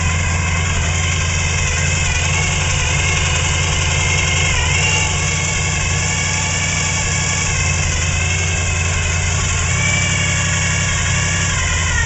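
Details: '95 Silverado 454 big-block, Gen 5, gear drive, high-lift short-duration hydraulic cam, otherwise stock: deep V8 idle with uneven loping pulse and pitch dips; rough idle from low compression.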